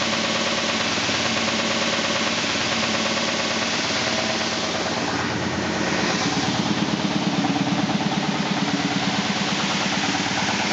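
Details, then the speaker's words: 2000 SCMI Sandya 3 37-inch wide belt sander, one owner with low use, running after soft start. A steady motor hum with a soft regular thump about three times a second comes from the high taped seam in the sanding paper, not from the sander itself. "So as it goes around, you can hear it go, but it's actually just the seam in the paper. It is not the sander itself, so that is going to be this seam right here."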